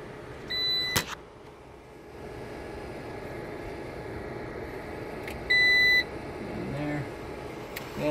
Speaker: Now the UPS is kicked on. You can hear it beeping.